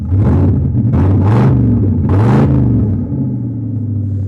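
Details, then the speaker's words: Mercury (Torino body swap) started after a jump start: deep, blatty rumble swelling with each throttle blip, far too loud and raw because somebody stole the catalytic converters. "You can hear real good right now that somebody stole the cats."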